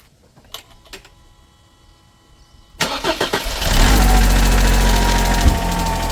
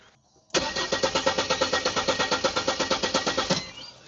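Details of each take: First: 1997 Mercedes SLK230 (R170) M111 supercharged engine, first start after weeks of no-start, following the fuel pump repair: quiet clicks, about one second of cranking, then it catches into a smooth steady idle; healthy. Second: 1997 Mercedes SLK230 R170, M111 supercharged engine, stopped suddenly weeks ago; no fuel at the rail test nozzle, fuel pump suspected: starter spins at a quick, even beat about three seconds and never catches; crank, no start.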